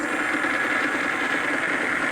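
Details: 1940s horizontal milling machine driven by a treadmill DC motor fed about 150 V DC from a modified microwave transformer, rectifier and capacitor: steady even hum, constant mid-pitch, no knocks or grinding; running normally.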